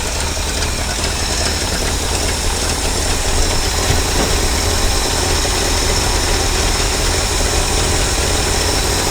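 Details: 1968 Ford F600 feed truck V8 started for first time this year after throttle cable set; even loping idle about two pulses a second, no misses or knocks, though its carburetor has a gas leak.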